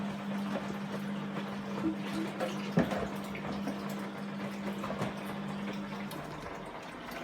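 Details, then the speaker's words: Fagor Innovation FUS 6116 IT integrated washer-dryer on a test wash after earth-leak fault finding: steady low drain-pump hum under gurgling water for about six seconds; pump empties normally; water barely warm (under 30°C), black-specked and swampy, possibly after months unused. "It's just started pumping out now."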